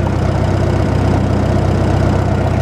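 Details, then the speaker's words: Farmall Super M tractor, warm, idling out of gear after tappets were adjusted, good oil pressure: slow, steady, even thump with no tapping or missed beats; running sweetly. "And there it runs. Runs just like an old International would. Just purrs."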